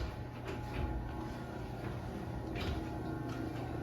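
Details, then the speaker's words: LiftMaster 8355 garage door opener after replacing the TorqueMaster with extension springs, raising the door with a smooth, quiet motor hum and a light rattle, possibly from the trolley; runs healthy. "Anyway, this door is running really good now, and obviously the motor is extremely quiet."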